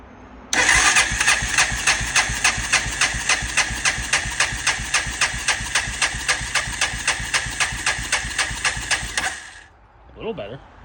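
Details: 1999 Honda Foreman 450S ATV, 3,800 miles, oil added to cylinder, throttle wide open; even starter cranking nearly four strokes a second with no firing, soft compression beats; owner suspects worn piston rings from old engine.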